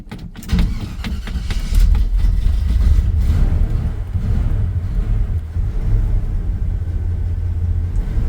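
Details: 1978 Chevy C10 "Billy James" V8 just started cold after sitting a while: deep, steady low rumble with even firing, no knocks or ticks; healthy, normal cold idle.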